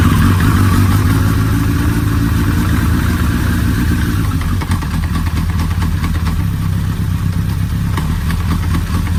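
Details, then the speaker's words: Suzuki Hayabusa first start after clutch repair and oil refill with Motul 7100 10W-40 full synthetic: loud, even engine note settling to a steady idle with no odd knocks; clunks when put in gear are normal transmission slack; running smoothly. "voilà on a passé la vitesse est là un voyage à l'air de mieux fonctionner sans bruit bizarre"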